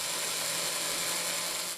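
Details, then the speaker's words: Carbon-fiber hub, aluminum-rim flywheel on a motorized launch stand for a flywheel-powered plane, belt-driven 16:1 to the propeller: sounds fine at low rpm, but at high speed a rough, gritty rush with faint hum; owner blames something expanding and vibrating. "Suaranya terdengar baik-baik saja pada RPM rendah. Tapi saat semakin cepat suaranya mulai terdengar sangat kasar."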